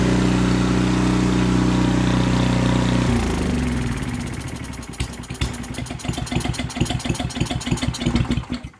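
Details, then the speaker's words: Canadiana snowblower with Briggs & Stratton 800 series engine, after surging was fixed by boring the jet one size bigger: steady, even note with no hunting, then stumbles and dies when choked off. "So I just choked it out to get it to stop. So that fix seemed to work."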